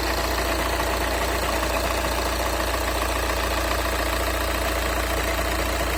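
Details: Cold Skoda A5 2.0 TDI 125 kW diesel idling with a fast, fairly even metallic knock or ringing about twice per second; cause unclear.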